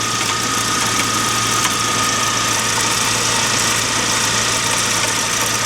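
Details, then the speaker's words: 2009 Mk1 Ford Transit Connect diesel van at idle in neutral: steady high whine with rough grinding on top; owner believes worn alternator is causing noise, to be replaced. "Fire up the engine and I'll show you why I think I need to replace the alternator. You hear that? There's your alternator."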